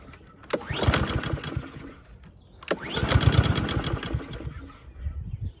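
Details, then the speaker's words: Husqvarna HU700H mower with Honda GCV160, unused 3+ years, starts twice, runs rough and dies. It hunts on the governor as if always on choke, though the auto choke was checked open. Cause unconfirmed. "Tried. Started and died. Okay, so it's kind of bouncing off the governor and it's almost acting like it's on choke the whole time."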